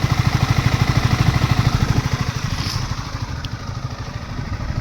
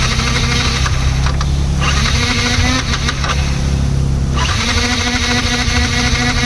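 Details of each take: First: Yamaha MT 15 motorcycle at idle after full service (fuel injector cleaned of dust, self motor, battery, spark plug): crisp, regular single-cylinder thump about three beats a second, smooth and steady with no misfire; normal idle, running well. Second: Yamaha MT-15 bike: aftermarket starter (self) motor bought online, battery charged twice, spins unevenly with a labouring whir but engine never starts; starter lacks power and drains battery, to be replaced with a new starter motor.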